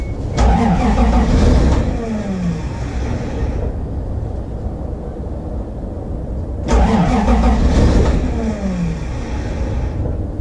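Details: Toyota Supra not run for about three years, cranking: two long bursts of starter churning at about four beats a second, engine stumbling but not catching; extended cranking, no start.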